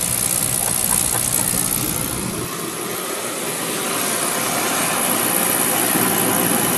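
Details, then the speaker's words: Beckett oil burner, Carlin Pro-Max control, after 15-second delayed oil valve countdown: steady even roar right after light-off, no puffing or rumble; burner firing cleanly, normal. "15 seconds for delay oil valve 5 4 3 2 1 Houston we have"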